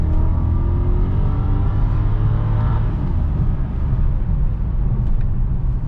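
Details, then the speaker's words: 2006 BMW 650i (E64) convertible V8 on a test drive, not yet up to temperature, foot to the floor: deep roar climbing steadily with a proper downshift, no knocks or misses, healthy full-throttle acceleration. "Sounds good, feels good. It downshifted properly."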